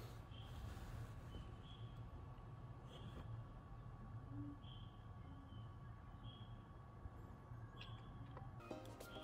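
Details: PS5 disc version in resting mode: faint, steady high-pitched whine with odd chirps, like coil whine, fixed by turning off USB power supply in rest mode settings without disassembly; high-pitched whine in rest mode.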